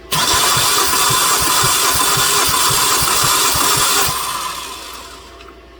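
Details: 2009 Hyundai Sonata towed in, cranking with starter relay bypassed: steady cranking at three to four beats a second over a high starter whir for four seconds, stops without firing. Compression 125 on cylinders two to four; fuel quality suspected.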